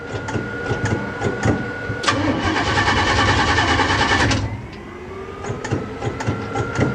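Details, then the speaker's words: Car with 406 engine, long unstarted, distributor connected, fuel supplied, no cooling: starter cranks in steady bursts about three turns a second, engine never fires; crank no start, cause unknown. "it doesn't want to start really what am i missing"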